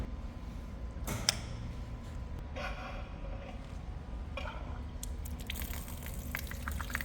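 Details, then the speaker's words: Zayer manual milling machine with shop-made through-spindle coolant drawbar bolt and rotary union, first test: soft steady coolant trickle through the spindle with occasional drip or splash; even, healthy flow. "no laila e hana pono ka mea hoʻomaʻamaʻa a ke holo nei i loko o ka spindle me ka ʻole o nā hana keaka"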